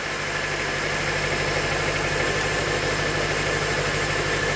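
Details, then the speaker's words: 2005 Honda Element manual, engine a shop diagnosed as bad: lumpy idle with an uneven thump, misfire; power balance test finds a cylinder not working, plugs show oil residue and burning oil. "s obviously got a miss. So I'm gonna do a power balance test here real quick. See if we can find the offending cylinder or cylinders."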